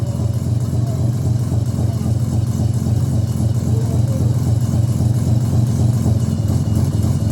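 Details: Mazda RX-7 13B bridgeport on an EFI conversion with a borrowed Microtech ECU, fuel map for 1,000cc injectors on 700s, untuned: a deep, busy burble at steady idle only; it won't accept throttle but later hot-started.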